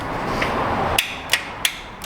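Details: 2006 Honda Accord towed in with no crank, new battery: starter solenoid clicks about three times a second without cranking. Test light shows voltage lost on the starter power feed during the attempt, not a bad starter.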